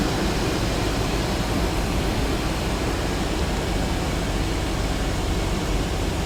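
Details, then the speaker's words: Dodge Durango 4.7 L just after new mechanical fan clutch install, at startup: steady deep whooshing roar over idle with no knocks or rubbing as the clutch runs locked up; slows within about half a minute, normal. "So the fan is going to roar for a while, but after a couple minutes of running, it should settle down to a lower rpm as the fluid begins to settle into the different areas which it needs to be."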